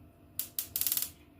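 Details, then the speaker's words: Universal digital gas water heater that would not work, after cleaning the wire connections with spray: two sharp ticks then a quick run of crisp clicks; igniter sparking normally and the control board is good. "ا التكه بتاعته سمع التكه بعد الاشعال بعدك سمعتوا التكه دي دي كده سليم والاشعال كده يبقى الكارته دي سليمه"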